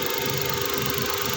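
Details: Suzuki DA64 with a K6A three-cylinder petrol engine after the cylinder 1 misfire code was cleared. It idles steadily with an even beat and no misfire stumble; the coil or spark plug had been suspected.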